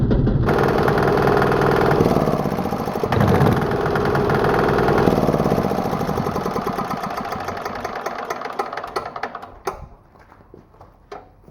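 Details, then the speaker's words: New 196cc single-cylinder diesel engine (about 3 hp), first runs, smoking, slightly warmed up: hard regular clatter a few times a second over the thump, fading as it shuts down; it knocks a lot. "But yeah, it does knock a lot. You can really hear it, but it's pretty cool."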